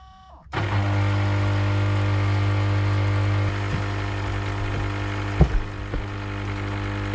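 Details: Aqualisa Digital shower pump in the loft control unit, turning freely with no bearing play but running erratically and overheating within minutes: loud, steady low buzz and whine; winding resistance test showed failed windings, fixed by a replacement pump.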